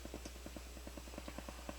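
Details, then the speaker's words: Crown CSC-850F stereo amplifier, returned for static, volume full in tape mode: steady fast crackly ticking, about ten pops a second over low hum, instead of just hiss; suspected dirty record/playback switch, not confirmed. "so there's a a noise I don't know what it is probably coming from the recording bar switch needs to be cleaned again but it shouldn't be making anything shouldn't be hearing anything but hiss"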